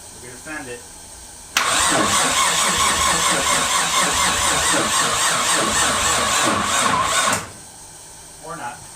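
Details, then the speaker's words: Rebuilt forged RB25 engine, first start attempts with low battery: about six seconds of steady starter cranking with no catch; no start caused by an ECU programming fault, fixed after reloading the program. "but the first couple times trying it I knew it wasn't gonna start because it was like some weird stuff going on with the in the the program"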